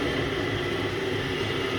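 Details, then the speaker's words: Thai coconut milk press machine, mini model with 4 bolts, test run before delivery: loud steady drone with a constant whine; gearbox bearings noisy even on a newly bought gearbox and need replacing. "ยังลองอย่างงี้ถ้าเกียร์มีเสียงดังแบบนี้เราก็จะเปลี่ยนลูกปืนเกียร์ให้ขนาดเกียร์ใหม่ซื้อมาใหม่ๆยังดัง"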